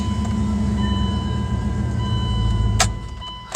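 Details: Dodge Durango right after a starter replacement: the engine starts and settles into a steady, even low hum with no grinding or repeated clicking. Normal start.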